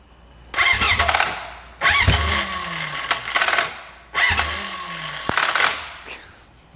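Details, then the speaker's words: Junkyard Honda CB750F after sitting for decades, three cranking bursts with harsh metallic clatter and falling whir, engine briefly ran but won't catch now; starter clutch clatter while cranking. "just got to get her to hold on a little more oo starer clutch is not happy"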